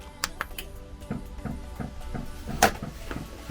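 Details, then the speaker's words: Van's newly installed diesel heater on first start: light, fairly regular ticks roughly three per second from its fuel pump under the van as it primes, heard over a quiet background; normal, though the van's tank is very low on fuel. "Yes, I can hear it. Quick run under the van. That's the fuel pump clicking away."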